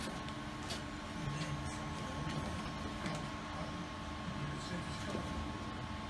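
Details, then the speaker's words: Plasma cutter cutting steel for a chassis rotisserie frame in cold weather: a steady hissing roar with a faint sputter. Sparks blowing back up show the cut is not penetrating; it needs more current, not more air pressure. "there we go you can see what are the weather sparks that come back up that's where it's not going through so why do you need more air pressure we need more current"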